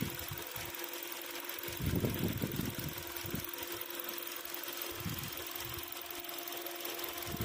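A quiet idle with a fast, light, uneven rattle riding over a steady hum, plus a few louder surges; an internal engine rattle.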